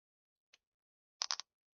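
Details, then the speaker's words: Nintendo Switch after repair, plate refitted, at power-up: one faint pop then a quick cluster of sharp crackling clicks from the small speaker, no steady tone; speaker crackle, possibly a corroded speaker (suspected), sound later lost entirely. "It was like a crackling noise when it turned on from the speakers. What was that?"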